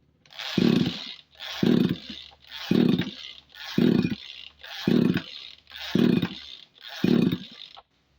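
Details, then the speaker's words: Tanika 20-litre engine sprayer tank, hard to start: seven even recoil pulls, each a brief rasp that fades out, never firing, even with the plug cap refitted and spark good. Spark plug or crankshaft seal suspected, not confirmed. "Sekarang, mari kita uji lagi. Tetap saja tidak mau menyala. Sepertinya kita harus membongkarnya."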